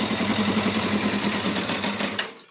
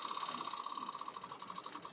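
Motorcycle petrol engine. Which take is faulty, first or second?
first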